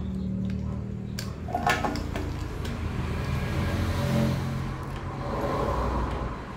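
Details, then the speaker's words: Honda Megapro Primus after a cylinder head service for a rough ticking from the head, with valves adjusted and oil refilled: steady, low, even idle putter with no tapping or clatter from the top end. "udah halus suaranya ya mudah-mudahan bisa awet dan ini tinggal perawatan saja rutin ganti oli"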